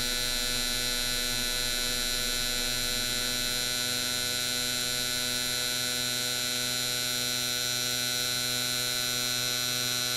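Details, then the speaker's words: Mr Cartool injector tester cycling four gasoline injectors at half pulse width: fast, even ticking over tester whine, no missed or uneven pulses; normal injector clicking. "And then we'll fire it up again on half the pulse width. And you can hear the thing cycling the injectors."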